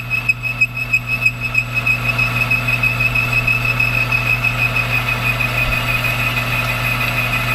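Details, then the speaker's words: Lathe turning an adapter for an 8.3 Cummins diesel fan mount: piercing steady high squeal over the machine hum, pulsing about three times a second through the cut; tool screaming on the workpiece. "well I just finished it up off camera cuz boy is it screaming I mean you hear that yeah it's brutal on the ears nothing I can do about it"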